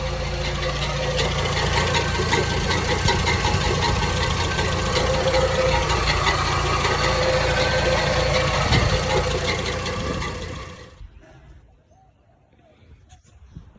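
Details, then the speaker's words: Datsun minitruck engine after tightening loose bolts. It idles rough with a light knock two to three times a second, then shuts off. The knock went away after removing the fan, shroud and pulley; exact source unconfirmed. "yep some reason develop some sort of knock so naturally I went to all those BOTS on the car that I'd worked on and everything was quiet and nothing was touching"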